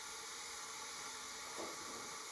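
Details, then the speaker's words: Front-engine dragster motor sitting about 30 years, leak-down test, engine not running: steady hiss of compressed air leaking past the piston rings around the oil rings into the crankcase, not through intake or exhaust valves. "I can feel it down right at the bottom of the cylinder yeah right on the Rings coming in around the oil rings"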